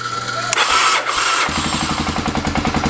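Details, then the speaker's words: 1985 Honda 250SX ATV started cold in neutral on choke: brief crank, then catches into a quick even single-cylinder putter; runs good, no smoke. "I said it runs good no problems there at all no smoke which is really really nice"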